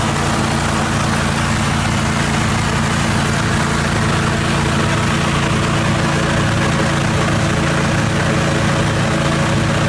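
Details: 1980 Jacobsen Turfcat 60-inch mower after PTO shaft repair and regreasing: steady, even engine drone holding constant speed throughout, no knocking or grinding; running smoothly.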